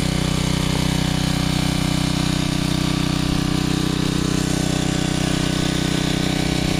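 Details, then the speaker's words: Generac 750 watt generator after mixer adjustment runs at a steady, even speed, no longer surging. "and you can hear it's no longer surging"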